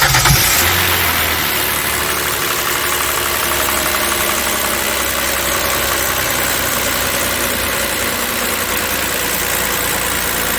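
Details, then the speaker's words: Kia Opirus GH330 with "kkirrik" noise at startup, low power and poor fuel economy, oil changed only every 1–1.5 years: idle before oil service, busy even clatter over the hum, louder than healthy; noisy engine. "작업 전에 엔진 소음을 좀 들려드리고 작업 후에 엔진 소음이 어떻게 되는지 좀 비교해서 여러분이 들어볼 수 있도록 하겠습니다."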